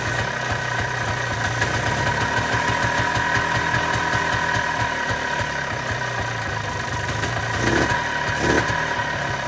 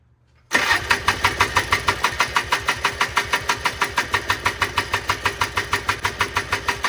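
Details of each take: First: 1995 Polaris Trail Boss 250 two-stroke, previously crank no start with bad backfires, running after a new spark plug and choke: quick, fairly steady popping beat with no backfires, idling as it should. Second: 1995 Polaris Trail Boss 250 two-stroke, crank-no-start, choke pulled: sharp regular popping about three times a second with violent backfire, sputtering and struggling to run; cause unknown.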